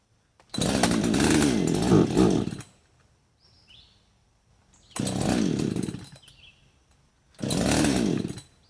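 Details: Husqvarna 562xp, hot after cutting, sat over 15 minutes in the sun at 91°F and ~100% humidity, primer bulb pulling little fuel: fires, revs roughly about two seconds and dies, three times; owner suspects vapor lock.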